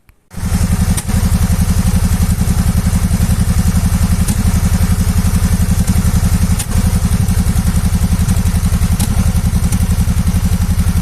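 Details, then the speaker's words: 2014 Suzuki V-Strom 650 ABS twin after its small hoses were replaced to cure an air-leak popping in the exhaust at idle: warm, with a steady, even low-thump idle and no popping. "a moto agora tá redondinha e sem problema um funcionando filé"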